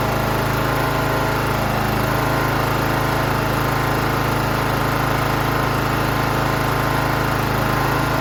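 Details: John Deere GT 275 Kawasaki engine after replacing a broken valve spring, with new valve cover gasket fitted dry: steady, even drone with a regular beat about three per second, no ticking or knock; runs smooth and healthy.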